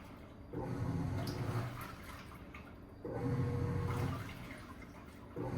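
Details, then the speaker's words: Black & Decker 3.0 portable washing machine, just over 2 years old: the motor hums about 1.5 s with water sloshing, makes a half turn each direction, pauses about a second, then reverses. Normal, healthy wash agitation. "So that's kind of what it does. It's like a half turn each direction. It pauses for like a second and then it'll start back up. So this is the wash"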